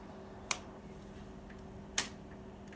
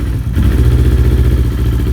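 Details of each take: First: Kawasaki Ninja 250R just started during restoration: soft sharp clicks about a second apart, then a brief fast chattering rattle from the actuator valve, judged faulty and needing replacement. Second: Kawasaki Ninja 250R twin after cold start with new fuel pump, low fuel: steady, even low putter, no misses, hunting or rattles; healthy idle.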